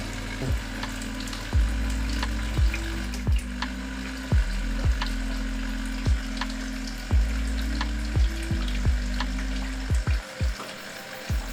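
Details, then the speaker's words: Bosch SRV43M43RU/01 (type SD13JT1B) dishwasher, complaint of humming and not draining: steady low recirculation pump hum with faint splashing and irregular knocks, no pressure built, water barely leaving the lower spray arm. Weak flow from a broken pump impeller. "давление слышно что не развивает посмотрим Да вода еле выходит из Нижнего разбрызгивателя"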